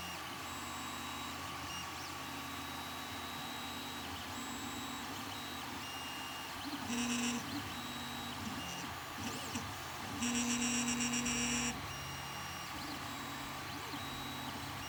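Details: Creality Ender 3 Pro 3D printer, only a few prints made: steady hum with faint high chirps and short louder tonal bursts near nozzle; abnormal noise near hotend, cause unknown.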